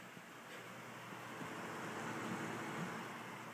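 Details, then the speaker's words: Dynatron CPU cooler with new ball-bearing fan on a desktop PC, under load while exporting video: soft steady airy whoosh, quieter than the old cheap cooler and without its whine; normal fan noise. "yeah it doesn't make a wine or anything like the old one did the old one made a nice wine"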